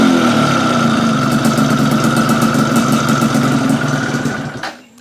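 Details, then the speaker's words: Yamaha Fiz R two-stroke with weak power, after reed-valve (membrane) adjustment: an even idle with a steady beat for about four seconds, then shut off. It idles cleaner and better than before. "lumayan lebih enak ketimbang tadi"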